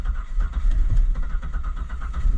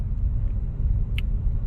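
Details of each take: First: 2000 Buick Park Avenue cranking after deoxidizer was sprayed into a corroded ignition control module connector pin: steady starter churn with rhythmic compression pulses and a brief kick that never catches; no-start traced to the faulty ignition control module harness plug. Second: 2000 Buick Park Avenue idling after a restart, following a fix of the faulty ignition control module harness: steady, even low rumble with no knocks or misses, idling slightly fast, possibly around 1000 rpm, which the owner wonders is a little high; normal, healthy idle.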